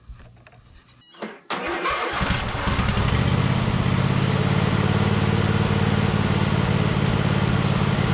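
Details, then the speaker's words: Cub Cadet RZT 50-inch zero-turn mower with swapped engine: cranks and runs with steady rapid rattle from starter gear not fully disengaging, still slightly engaged. "you hear that rattling is it stopping that's the starter that's still engaged a little bit and it's kind of rattling around on there so let's take care of that"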